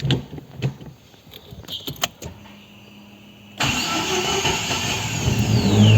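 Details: Chevrolet Celta after starter motor overhaul (new brush holder, greased dry planetary gears) for slow, hard starting: a few quiet clicks, then engine catches at once and runs steadily; normal start.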